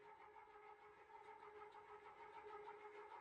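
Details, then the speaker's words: Restored gear-driven ceiling fan with a new Blender-modeled replacement gear, blades fitted, barely moving air; steady whirring gear drone at fixed pitch with light regular ticking: runs evenly but loud gear drive noise. "But yeah, it's loud. What a bizarre item, but so cool at the same time."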